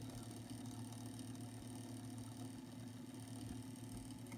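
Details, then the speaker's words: Realistic SCT-32 stereo cassette deck that won't play but rewinds and fast-forwards: a steady, low, even hum at power-on with nothing moving. Cause unknown. "turn this off once again we're going to turn the unit on and that's the sound we're talking about"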